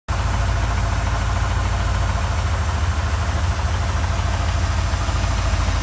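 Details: 1979 Mustang Ghia 5.0 V8, stored for three years, at idle: deep, lumpy rumble with a loose knock about three times a second; engine knock.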